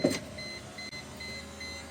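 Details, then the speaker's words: 1998 Mercedes SLK 230 (R170), driver's window after regulator replacement: a steady, even motor whir with a clean high tone and no squeak or strain; the window motor runs strong and healthy. "rivets aren't wiggling at all motors sounds good nice and strong no squeaking"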